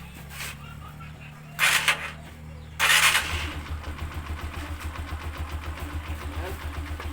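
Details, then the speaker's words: Honda TMX 125 single-cylinder after tune-up for ticking and poor idle, idle RPM raised; catches after cranking, settles into steady even putt, ticking cleaned up: normal idle. "oh so maganda na yung kanyang idle so Ayan so ina-adjust lang natin yung kanyang RPM kasi medyo mababa"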